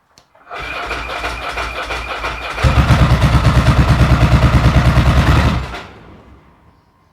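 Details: Ducati 900SS 2V twin: after cranking, lopsided hollow thump about three uneven beats per second, front pipe cold; only one cylinder firing, pickup coil open circuit (fails when hot), to be replaced.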